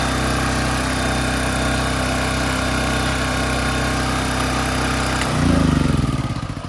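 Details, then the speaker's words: AC Delco 3500-watt single-cylinder generator, cold start after no-spark diagnosis and carburetor fixes, runs at steady even governed speed without misses or knocks, then winds down smoothly; normal generator running. "issues had to work out but um it is running now and it's actually a cold start"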